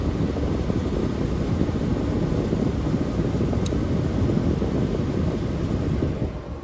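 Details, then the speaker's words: Lennox ECM blower motor, jumpered on red and green: steady, even rush of air turning the right direction, a little rattly and noisy from the motor itself, no surging or bearing noise, then tapering off. Normal blower operation. "get off and it was going in the right direction a little rattly and noisy I thought but that was just a motor so that's good"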